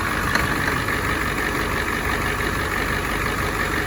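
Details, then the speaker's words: 1986 Ford F350 dually, 7.3 IDI diesel core engine with ATS turbo kit, run in neutral, no oil pressure gauge fitted. Steady even idle clatter with no misses, slight belt squeak (loose alternator belt); runs smooth. "Yeah, she's a freaking runner. Man, that thing runs smooth. That thing ain't even wobbling or nothing."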